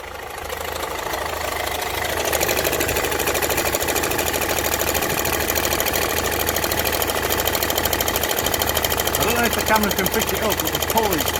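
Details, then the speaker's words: Land Rover Freelander TD4 with 2.0 BMW diesel idling, engine cover off: uneven knock about twice a second from the front of the engine, worn crankshaft pulley visibly moving. "you can see here well everything that's shiny is how far the crank pull is moving and that's what's making the noise"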